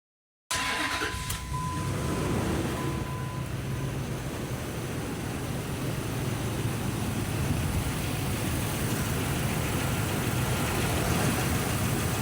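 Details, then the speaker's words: 2004 RAM 1500 5.7L HEMI after replacing exhaust manifold gaskets and bolts: engine catches right away and settles into a steady, even idle with no ticking on the passenger side; manifold sealing healthy. "No ticking over here. Although you can't see me, but if you're still here, there's no ticking on the passenger side."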